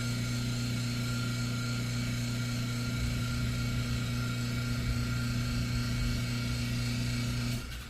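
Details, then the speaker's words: Chamberlain LiftMaster Pro 1/3 hp garage door opener, after being jammed closed (trolley stuck, chain sagging), unclamped from the door and cycled: smooth even electric hum with thin steady whine for about seven seconds, stopping cleanly; motor turns freely, probably needed resetting. "okay motor's turning freely huh yeah both directions so I think it just needed to come off and get all reset again"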